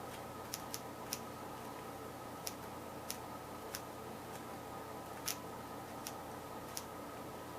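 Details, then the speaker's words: Westchester engine spark test without a condenser: sharp, dry snapping ticks at uneven gaps, so it sparks only intermittently and weakly. Owner suspects the battery connection; cause not confirmed. "so it does spark sometimes all right what not having the condenser is going to give it a weak start"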